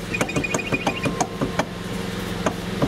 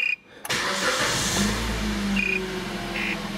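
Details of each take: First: 2009 Kia Ceed estate, 72,000 km, turning the steering wheel: sharp, irregular knocks in the steering column as the electric power steering motor coupling's rubber damper has crumbled away. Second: 2009 Kia Ceed wagon, 72,000 km, electric power steering: after reassembling the steering column to cure a knock when turning (suspected rubber damper), wheel turns easily with steady hum and no knocks.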